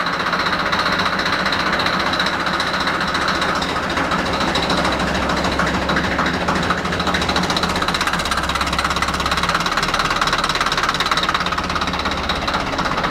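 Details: Deutz F4L514 air-cooled diesel after cylinder and cylinder head repair, steady even clatter at constant idle with no misses or heavy knocks: running normally.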